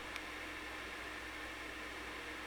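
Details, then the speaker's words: PS5 Pro with the separate add-on disc drive (same drive as PS5 Slim), Silent Hill 2 disc inserted from dashboard; steady high whirring hiss with faint hum, fairly loud and causing vibrations; normal disc drive spin noise. "which is pretty noisy and it's also creating vibrations which may probably affect the actual noise"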